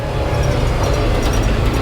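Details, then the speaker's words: 1986 Chevrolet K30 dually under way in four-wheel-drive low range after long sitting: steady, even low rumble with no knocks, rattles or felt vibration; transfer case and front differential sound healthy. "I don't hear or feel any rattling. I think our transfer case is good."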